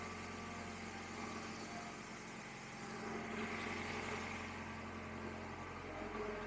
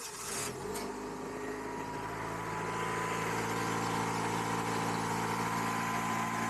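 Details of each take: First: 1999 Acura CL, cold engine idling right after a jump start in sub-freezing Minnesota winter, weak battery: soft steady idle with an even beat, no knocks, misses or rattles; settling and running smoothly. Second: 1999 Acura CL with a weak battery, jump-started by remote start in extreme Minnesota cold: extended cranking, then the engine catches and holds a steady, slightly rising idle; the long crank is from the extreme cold.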